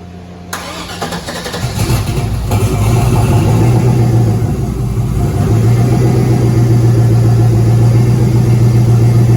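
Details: 5.3 LS with turbo in a Caravan: loud idle with regular clatter, three to four knocks a second, appearing after running some boost; owner hopes for a broken ring land but suspects rod or main bearing; oil pressure over 100 psi cold.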